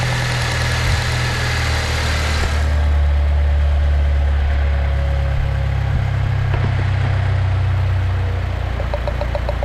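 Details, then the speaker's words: Saab 9-3 with misfire, testing coils while idling: smooth steady idle with faint light ticking at the ignition coils, indicating each is sparking; normal coil ticking. "Um, I should hear like a little ticking sound if it's working correct. And if it's not, then it should be completely quiet and not have an effect."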